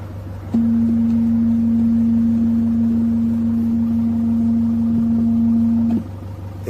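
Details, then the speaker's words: Nissan Caravan van idling, music paused and volume off, front positive disconnected: a steady low hum-tone holds about five seconds from the speakers then cuts off, likely from the Rockford Fosgate amplifier after Timpano mid-range install; one speaker blown, amp channel 2 damaged. "The music is paused and the volume is off. If you all notice, the front, the positive is off."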